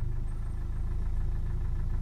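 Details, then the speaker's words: Nissan Qashqai 1.5 dCi (Renault) diesel driven long with a broken pipe, DPF so blocked it cut out during forced regeneration: low shaky idle with uneven pulsing and vibration, struggling and dying like fuel starvation; rough idle from blocked DPF. "can hear the engine sort of shaking here it's vibrating and it struggles and D out sort of similar to uh fuel starvation but it is definitely a blocked DF"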